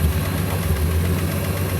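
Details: Field-find car after replacing a carbon-tracked distributor cap: steady low engine drone with an even beat and no stumble or miss; normal running, though the carburetor still needs load adjustment.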